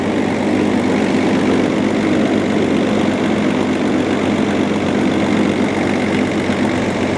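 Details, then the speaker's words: Range Rover P38 after replacing crankshaft pulley and water pump, previously rough with a rattle. Steady, smooth idle hum, even pitch, no rattle or knock. Normal idle after repair. "We've done the crank pulley, we've done the water pump, and now it sounds a lot better. So before, it was sounding really rough, but now it definitely sounds a lot smoother."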